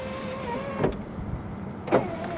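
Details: 2005 Jeep Liberty rear driver-side window after regulator replacement: a smooth, steady motor whir for about a second between two soft clunks at the ends of travel as the window goes down normally; the cheap new regulator struggles going up.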